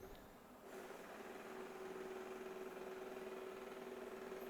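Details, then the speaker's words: Shark IQ AI robot vacuum RV2001DRUS after the roller brush was removed, cleaned of hair and refitted to fix error 2: quiet motor whir with a thin buzz and a light tick about four times a second. Louder than before, brush maybe still seating; working again. "making some weird noises it looks like we are back in business it's a little bit louder than it used to be maybe that brush is uh of getting seated back in"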